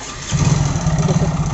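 The engine catches and settles into a lumpy idle with an uneven, clattery pulse over the exhaust beat, pointing to a mechanical noise inside. Cause suspected, not confirmed.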